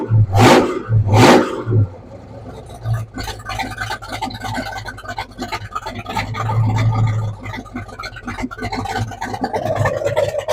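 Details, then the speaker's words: 1968 Ford F100 with a 460 big block, just after an oil change and fire-up: deep, lumpy rumble holding fairly steady after a couple of loud bursts, no knocks or ticks; running decently. "We got it fired up. Sounds like it's running decent."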